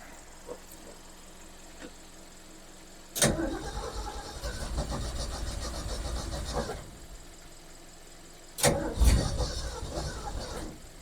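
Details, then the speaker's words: Ford Falcon with one-barrel carburetor, first start attempts: starter whirs, engine catches and runs a few seconds unevenly, then cranks and stumbles; running rough, owner unsure whether the fuel pump is working. "Okay, this little one barrel. She is really not a happy She's not really a happy camper to be honest with you guys."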